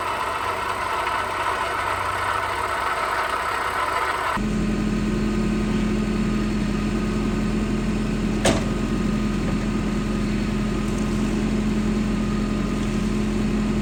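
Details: Perodua Bezza at idle, owner complaining of a very loud engine sound, like the engine is about to break: steady loud drone with busy upper clatter, no clear knock rhythm; cause unclear.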